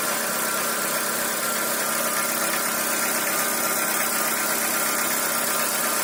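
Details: Chevrolet Corsa engine running steadily with a loose, uneven rattling clatter over a thin idle; engine noise, cause unknown.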